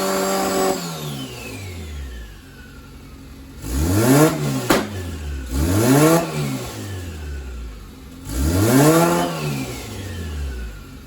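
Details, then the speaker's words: D16-swapped Honda Integra with ball bearing turbo and up pipe: three quick rev blips rising and falling cleanly with turbo whistle, no knock or misfire; pulls up well, sounds healthy. "we have this Jack spania ball bearing turbo sounds fantastic on here it pulls up really well"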